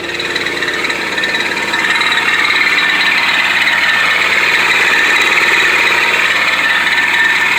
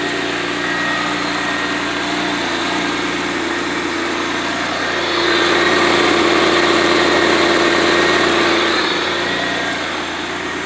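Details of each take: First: 1991 Pontiac Firebird 3.1 V6, engine running: continuous dry rasping whir, steady throughout; worn smog (air) pump on its way out, to be replaced with a new/refurbished unit. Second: 1991 Pontiac Firebird 3.1 V6 after replacing the loose, worn smog pump with a new/refurbished one: even, smooth idle with a steady mid-pitched drone, slight lift mid-clip, no ticking or knocking; much quieter.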